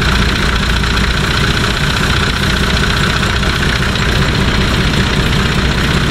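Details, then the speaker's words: Nissan Patrol TD42 diesel idling after fitting a new UFI fan and clutch kit (previously overheating to 115° towing): steady idle with smooth full fan rush, no rubbing or rattling after fixing a tab that hit the fan; moves more air. "can hear the fan hum sounds a lot better than the old one it sounds like it's actually moving a lot more air"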